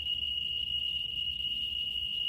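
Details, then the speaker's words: Geiger counter probe held close to autunite uranium ore: loud, steady high-pitched alarm tone near 3 kHz as the meter maxes out on the strongly radioactive sample. "Ooh, it's active. Okay, it's getting loud."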